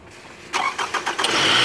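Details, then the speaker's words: 2010 Scion xB with fully charged battery, multimeter on battery during cranking: a few quick, even cranking bursts, then the engine catches and runs smoothly; voltage stayed above 10.98 V, battery good, though alternator found not charging. "so we noticed it didn't go below 10.98 that's a good sign we have a good battery"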